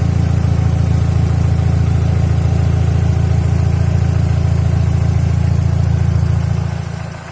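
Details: Mercedes W124 E200 with M111 petrol engine at idle: a light, regular tapping about twice a second rides over the engine note, knock of unknown origin, sometimes absent, mostly when the engine is warm.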